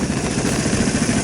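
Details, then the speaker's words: 2008 Vespa S 125 that sat about a year and would not start, now running after carburetor cleaning; steady, even putter with a low smooth drone, no misses or knocks: normal running. "all right so the automatic choke supposed to do its job we'll see a team we've got her running"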